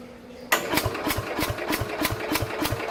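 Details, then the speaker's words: 1969 Bolens 850 tractor, original Wisconsin S8D 8¼ hp engine, unrun 3+ years, cranked with a little throttle and choke: slow starter drag about three turns a second, weak puffs, never runs; owner suspects very low compression. "See, it just doesn't have enough guts to do anything, I guess. It's just like enough to basically help the starter along a little bit, turning the engine over, but it's not enough that it can run on its own."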